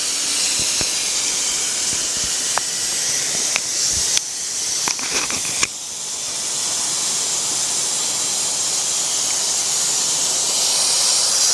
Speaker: Oh ya desisan terdengar makin kuat tenang aja saya akan Tunjukkan ke kawan-kawan sekuat Apa itu sisanya ketika dia maksimum ya tenang aja kalau udah mendesis gini artinya klep pengaman kita ini bekerja dengan baik